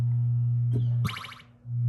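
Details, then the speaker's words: 1978 Williams Phoenix pinball, recapped sound board in sound test: steady mains hum with a brief electronic chirp cutting in and out. The board is fine; contacts in the dirty volume pot are interrupting the sound. "so obviously the soundboard is completely fine it's just the connections inside this pot so I'm going to have to take it apart again and really clean that pot really clean up the connections to make it reliable because obviously it is very dirty at this point"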